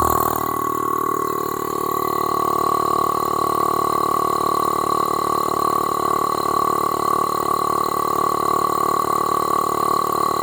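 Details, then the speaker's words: 12 V air-ride compressor removed from a C4500 Topkick/Kodiak, air filter removed, powered by a jump pack, pumping straight against a gauge with no reservoir: steady high-pitched motor drone with fast, even pumping pulse, reaching only about 30 psi; weak, low output. "Alright, so 30 pounds, that's about it. There's no reservoir or anything for this to pump up to. It's just pumping against that gauge, so it should go to max capacity in like a snap of fingers, like really fast."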